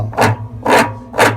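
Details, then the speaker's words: Consul CWE15 washing machine spinning with a worn spline lock between the spin tub and the shaft, giving three harsh rasping scrapes about half a second apart over a low hum. The part is to be replaced with a new one. "imagina esse barulho aqui em alta velocidade aparece um avião decolar está toda a corrida devido a isso a gente vai trocar agora"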